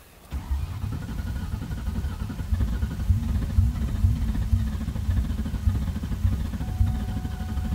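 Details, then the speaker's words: 2000 Mustang GT V8 with open headers, cranking after fuel pump found unplugged and reconnected: deep uneven starter chugging with a few loose firing kicks; engine trying to catch but not running yet. "kicking okay she's kicking me so it's a good thing she's kicking a few more fuel cycles maybe she'll fire up"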